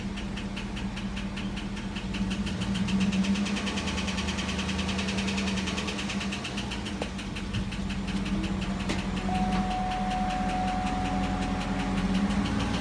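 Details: 2009 GMC Yukon Denali Vortec V8 cold start: light steady tick about four times a second over idle hum, lasting 10-15 min or until held above 2,000 rpm briefly; suspected worn oil pickup seal in the oil pan starving the heads of oil.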